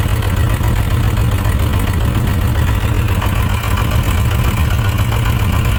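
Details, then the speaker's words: Suzuki RF900 multi-cylinder motorcycle at idle, carburettor mixture being adjusted on one cylinder: ragged, uneven low chuffing with dropped beats; that cylinder still not firing well after adjustment, suspected too rich. Cylinder misfire at idle. "that cylinder is s not firing well so we're going to check this back long let's see what's going on"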